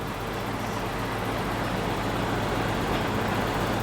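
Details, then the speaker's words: BMW E34 M5 with S38 engine, 335k miles, junkyard car in California; steady even roar without stumbles, misses or surging, runs perfectly smooth and revs up; healthy running. "let's see oh it runs perfect smooth oh yeah oh it actually revs up now yeah that's a happy s38 that's way better"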